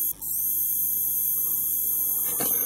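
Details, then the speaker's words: APC Back-UPS CS 500 charging circuit, second board powered from mains: thin, very high-pitched intermittent squeal over a quiet room. The pulse transformer in the charger supply is the source, not the capacitors. Transformer coil whine. "И вот пошёл этот противный писк Я надеюсь что вам слышно его прерывистый писк"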